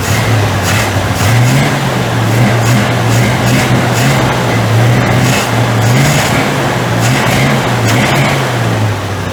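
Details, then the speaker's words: 1940 Chevy coupe just fitted with a new wiring harness, tach working: the engine holds a fast, slightly wavering idle with a busy exhaust note and dies if idled lower. High idle; cause suspected, not confirmed. "I can't idle it down any more than that or it won't idle it just dies"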